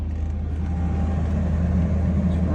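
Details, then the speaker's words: 2004 Ford Expedition with a crank but no-start, started after bypassing the bad fuel pump relay built into the fuse block; the fuel pump kicked on and the engine now idles as a steady low, even rumble with no misses or knocks, normal idle. "just fine plugged in like that so uh yeah now as far as I'm aware that means that that fuse block well the circuit breaker for the fuel pump the relay for the fuel pump is bad"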